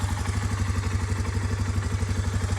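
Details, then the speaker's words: Suzuki Eiger 400 Quad Runner ATV single after new carburetor and spark plug: even, quick low thumping at a steady idle with no misses, knocks or hunting; idling healthily. "i started up it is running fine and idling"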